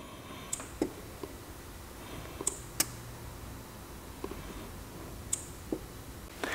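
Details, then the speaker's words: Audi A8 air suspension stuck high, front left commanded down via scan tool: a few sharp isolated clicks from valve block behind inner fender but no air releases, corner won't lower; faulty air suspension valve block. "front left suspension it didn't come down but i did hear a click from a valve coming from this area so i don't know if the mic is gonna pick it up but i'm gonna actuate it using the auto and we're gonna see if we can hear that click"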